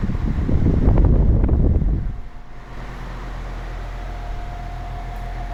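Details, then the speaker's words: Air Wizard Pro 20-inch wall fan on medium: even air rush with a thin steady motor whine that never fades; cause unknown, and the blade is out of balance. "You can hear the whining. Hopefully you can hear it. It doesn't go away. It stays like that."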